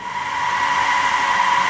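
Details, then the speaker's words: DIY solar-powered fan bar (three 2-inch fans) on an inverter, after about a week of operation. Steady, loud, airy roar. Owner guesses the center fan is fighting the two outer fans for air, a design defect. "this is a design defect you can hear us rather loud and my guess is what's happening is the center fan is fighting for air with the two outer fans"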